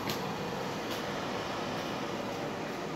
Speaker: can hear the fan going you can hear the fan going you want to let it go until it shuts itself off and then you click the button to turn it off